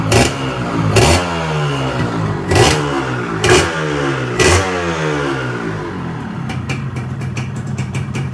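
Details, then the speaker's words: Rebuilt Yamaha 125Z two-stroke, piston at 25 oversize, on first run: crisp blips rising and falling cleanly about once a second, then a steady even idle; revs freely and sounds healthy, with only slight piston noise noted. "Oke, udah enak."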